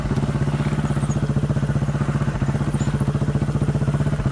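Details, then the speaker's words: Chinese 200cc Honda-clone quad bike, warmed up after riding, choke half on: single-cylinder idle with an uneven, stumbling beat as firing pulses drop out. It misses and tends to stall, and the misfire was traced to a failing spark plug. "I think that's a fair demonstration of the problem. You can hear it missing and farting."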